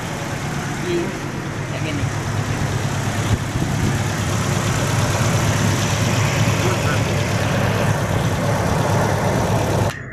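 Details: Toyota Kijang Innova idling unevenly with a shake in the low rumble, about four pulses a second, still misfiring after spark plug replacement; injectors and throttle body to be cleaned next, cause unclear.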